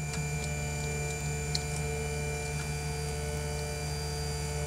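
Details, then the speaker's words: Tevo Tornado or Tarantula 3D printer Z axis after greasing the lead screw and running it fully up and down, mic held close: steady even motor hum with faint ticks, the earlier rubbing and vibration noise gone. "je vais approcher mon micro vous allez voir on n'entend plus les bruits des bruits vibrations et le bruit de frottement kia"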